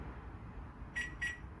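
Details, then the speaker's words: Range Rover Evoque locked on arrival: two short high beeps instead of normal lock confirmation, doors trying to lock, mirrors not folding, indicators flashing; warning of intermittent central locking fault. "that is the fault so that beep there is telling you there's a fault with the central locking"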